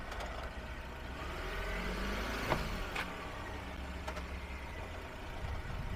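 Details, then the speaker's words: Citroen C4L, microphone on front hub side, rolling and steering while moving or reversing: few sharp isolated clunks, no noise going straight; CV joint cage initially suspected, finding is front wheel bearing clunk. "I put this wheat on the hub side and it sounds very obvious. Come and go Cuckle, Cuckle, Cuckle There will be a bang up and down The obvious chuckle"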